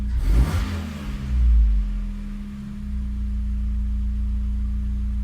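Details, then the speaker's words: Megasquirt-tuned car with custom headers, exhaust leak near the O2 sensor fixed, fully warm, idle initial values raised: quick throttle blip, revs fall back smoothly and settle onto target idle without dipping or hunting; idle control healthy. "It's actually better to rev a little bit high than it is to fall below your target. Just have it drop to your target more slowly."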